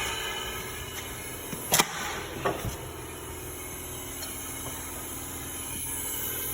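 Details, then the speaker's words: 1954 Riv engine, stopped, on leak-down test: steady hiss of air bleeding out through the intake; exhaust valve not seating, gap under it and sticking up, possibly bent; suspected, not confirmed. "on the left is your intake and see it's seated on the right you got a gap under your exhaust valve and that's actually it's sticking up"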